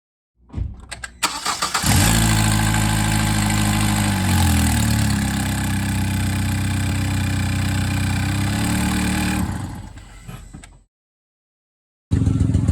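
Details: Engine runs with a loud, raw lawnmower-like putter from a small exhaust leak at the downpipe gasket; exhaust leaks often bring an exhaust smell inside the car.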